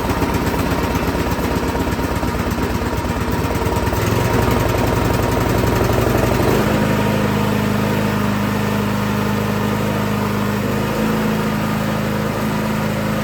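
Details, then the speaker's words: Craftsman SB 425 24-inch snowblower: starts and runs fine on full choke, so-so on half choke, but with no choke the note surges, hunts and wants to die; a carburetor problem is suspected. "Half choke, kind of okay. No choke, surging, hunting, wants to die. So that tells me that something is going on in the carburetor."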